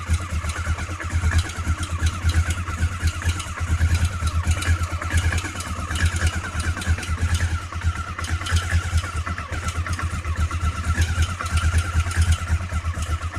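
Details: Honda CB500 engine running cold: a steady quick pulsing beat with a rough, uneven clatter over the exhaust drone. Abnormal noise, cause unclear.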